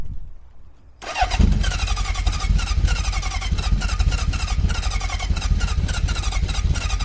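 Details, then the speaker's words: Honda CB750 with problem carburetors (two float bowls overflowing), temporary muffler, tank possibly low on fuel: after a pause it fires and runs raggedly with uneven lumpy beats, barely running; owner suspects it isn't getting enough fuel. "Firing. I don't think it's getting enough fuel."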